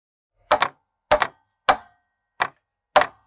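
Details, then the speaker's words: Solenoid valve opening and closing; five sharp, crisp metallic double clicks about half a second apart against silence. The clicks come from the valve or its supporting relay and are normal operation. "Enfin, les clics. Lorsque les valves électromagnétiques s'ouvrent et se ferment, elles peuvent produire un bruit de clic. Le bruit peut provenir de la valve elle-même ou du circuit de support, généralement un relais qui fournit du courant à la vanne."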